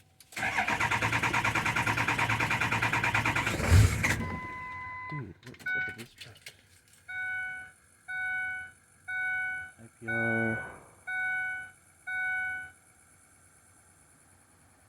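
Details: 2003 6.0 diesel on a cold-start test with a fuel pressure gauge fitted: about four seconds of long, steady cranking that never catches, a no-start; pressure struggles to build 300 PSI; cause suspected, not confirmed.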